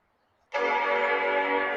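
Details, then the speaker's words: 1995 Macintosh 5300/100 LC powered straight without current limiter: clean steady startup chord at power-on, though screen at first stays dark. Normal startup chime. "That sounds so cool. I don't know whether you guys are seeing that or not, but well, I heard something, but the screen isn't coming on."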